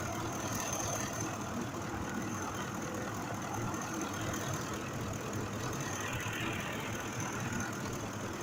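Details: 2005 Ford F-150 5.4 V8 idling after the cylinder 2 injector, which had a mechanical fault, was replaced: a steady, even low rumble with no stumble or skipped beats. Normal idle.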